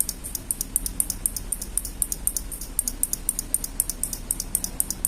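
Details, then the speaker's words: Isuzu Elf Giga NMR 71 original turn-signal flasher after replacing its failed internal relay, lamps connected: quick, steady ticking at about four clicks per second, all lamps lit. The flasher works normally. "sudah nyala kemudian kita pindah yang satunya kalau dari bunyinya ada ah bunyi pasti harusnya hidup lampunya tuh sudah nyala semua"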